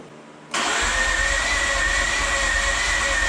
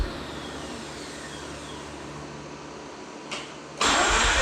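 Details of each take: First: Mazda RX-8 rotary, first start after rebuild, low battery boosted with jump pack: steady fast cranking with thin whine, no firing, fuel smell; spark plugs found soaking wet, deflood procedure needed; flooded engine. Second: Mazda RX-8 with a rebuilt, reinstalled engine, first start after the deflood procedure. Quiet cranking, a sharp catch, then a steady, even run with a smooth high buzz. Running normally after start.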